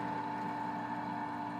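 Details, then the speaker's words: Houseboat residential-style AC/heat pump, condensate pump kicking on after clean water is poured into the drain pan during service: steady, even hum with a mid-pitched whine, no knocks or rattles; draining freely, no backed-up P-trap. "we should hear the condensate pump kick on just a second flowing out nicely so i don't have a backed up p-trap"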